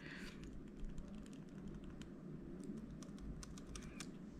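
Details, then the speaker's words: M1 MacBook Air return key after removal and reinstallation for a sticky-key fix: soft dull taps with no rattle or sharp clack, no longer noisy. "now we have the return key and look it's quiet now see it's no longer really noisy"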